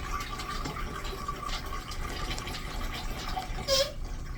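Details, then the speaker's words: Newly installed urinal flushometer valve: rushing water with a thin steady squeal riding over the flush. The cause of the new squeal is unknown. "That's not good, man. I don't know why she's making noise now, but..."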